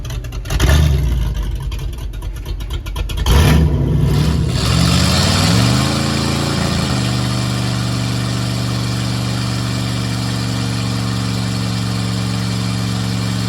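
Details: 1958 Plymouth first run after more than 40 years on a temporary ignition switch: rough lumpy start and a few revs settle into a smooth, even low idle with a steady rumble; engine running healthy.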